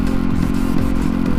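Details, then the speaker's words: Yamaha WR dirt bike barely running while ridden, rider holding speed to limp back; rough uneven thumping with dropped beats at speed; rider suspects fuel issue despite fresh fuel pump, doubts map issue; hint to check grounds; engine misfire. "My bike was just having an issue. It is barely running right now, and I'm still pretty far away, so I'm just trying to maintain speed and limp it back to my truck."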